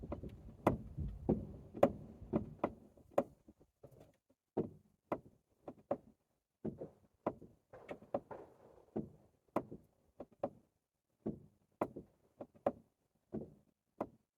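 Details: Front suspension after replacing both strut top bearings, front shocks and tie-rod end boot, about 1,000 km later: dull uneven clunks about two a second in bursts while steering; owner suspects the strut, brake calipers checked fine; not confirmed.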